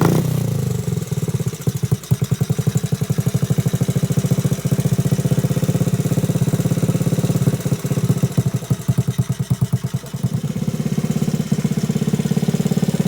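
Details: Frame-off restored 1986 Honda Z50R pit bike with aftermarket exhaust: quick, even popping from the small single at idle, with clean throttle blips rising and falling smoothly. Runs healthy.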